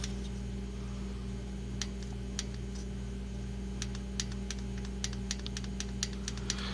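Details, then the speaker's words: 1997 Mitsubishi Mirage LS 1.8L 4G93 with adjustable mechanical lash adjusters, idling: steady hum with sharp, uneven metallic ticks from loose rocker clearance; valve noise worst on take-off, so the lash needs adjusting. "these are uh these are what we're gonna be adjusting um see if i can get any kind of good angle to it but um i want these shots to be loose there's you can hear it"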